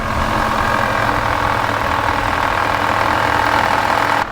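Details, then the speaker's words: Jeep engine bay at idle: constant whining hum holding its pitch; with serpentine belt removed and pulleys spun by hand, traced to worn power steering pump bearing, before pump replacement. "se coming from the engine bay and diagnosed it out to be the power steering pump took the serpentine belt off manually spun all the pulleys shook them a little bit find out which one was making having the issue"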